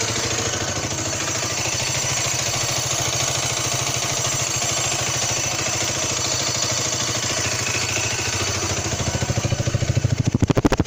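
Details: 2015 Derbi DRD 125 fuel-injected motorcycle, only hot and at idle or very low revs: thin high-pitched squeak above exhaust pulses, coolant and oil levels correct, owner suspects it comes from inside the engine; cause unknown.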